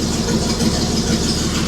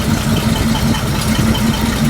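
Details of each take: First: 1941 Chrysler flathead six after correcting swapped plug leads six and two: even, steady idle with a soft regular pulse and no shake; oil pressure about 20–30 psi at idle; normal running. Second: 1941 Chrysler flathead six run briefly without coolant on 87 octane: lumpy, rocking idle pulsing about four times a second; misfire from crossed plug leads, giving the wrong firing order.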